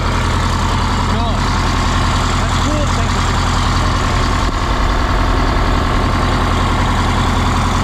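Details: 1977 MCI coach with 8V71N Detroit two-stroke diesel after freeing three stuck injectors that caused a runaway: deep, even idle with steady low drone, no knocks or misses; about 50 psi oil pressure, warming up and airing up; normal idle.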